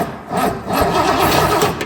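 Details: 1966 Lincoln Continental unstarted for 2+ years: the starter spins steadily for a couple of seconds with no firing. Spark at the plug is then confirmed good despite plugs needing replacement, so a fuel issue is suspected.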